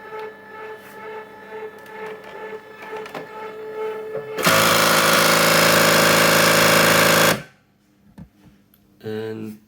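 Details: Secondhand Cricut Expression at power-up, panel lights dark: loud fast hammering of close to four even knocks a second for a few seconds as the carriage slams against the side; cause suspected to be a wire inside, not confirmed.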